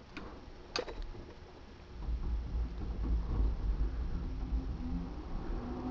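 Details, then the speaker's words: Older Trane XV90 two-stage furnace at thermostat-called startup: early clicks, then a loud, rough, low rumble builds and holds as the ECM-controlled blower motor spins up; sickly, failing ECM blower motor. "that's not a happy ecm motor"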